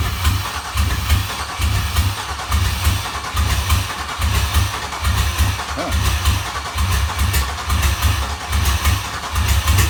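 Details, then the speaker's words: Junkyard GM 5.3L V8 for a 1955 Buick Special build, first start after sitting with rotted fuel lines bypassed: rough lumpy idle surging about once a second; misfire, owner suspects sticky injectors, maybe only three working. "tried cranking it over a bunch of times sounds like only maybe three injectors are working right now"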